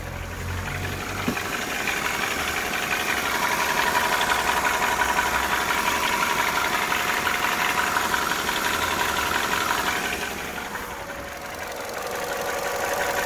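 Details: Vauxhall/Opel Corsa D petrol engine idling cold, about eight months after cylinder head rebuild for coolant leak: steady knock about three beats a second, gone after 10–15 minutes warm; no dash lights; owner unsure if piston slap, lifters or rod knock.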